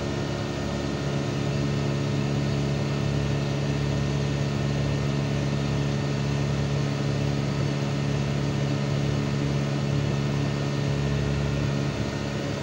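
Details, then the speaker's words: Panasonic 1.5-ton inverter AC outdoor unit after tightening screws left loose at installation: even low hum with steady fan whir, no rattle or buzz; noise about 90% reduced, running normally, though unit still dirty and needs servicing. "এতিয়া আপোনালোকে চাউণ্ডটো শুনিব পাইছে। 90% sound কম হৈ গৈছে।"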